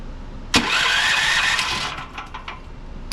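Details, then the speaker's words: Westinghouse WGen9500 generator (12,500 peak watts), electric start: the starter whirs for about a second and a half but the engine never fires; cranks with no start, diagnosed as no spark. "not getting anything out of the unit I've tried it a few different times here can't get anything whatsoever"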